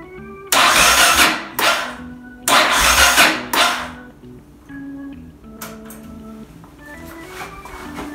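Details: Yamaha XT600E 600cc single with a flat battery in winter, on a supercapacitor jump starter without choke: several short labouring cranking bursts over music, never catching.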